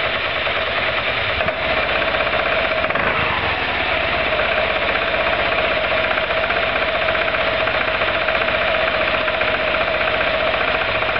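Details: Roketa MC-54-250B scooter, 1730 miles, stalling at every stop. Small engine revs up and down with ragged, uneven beat, struggling when stopping: intake and exhaust valves had zero clearance at TDC; fixed by adjusting valves.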